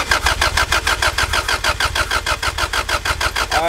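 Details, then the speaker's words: Honda Civic that suddenly wouldn't start; no fuel pump priming heard, so owner suspects the fuel pump but tests spark first. Steady starter cranking about three beats a second, never catching; cranks but won't start, no spark found. "I'm listening for like the fuel pump priming and it I don't really hear anything so I'm assuming it's the fuel pump that's bad but I'm gonna just test for spark first"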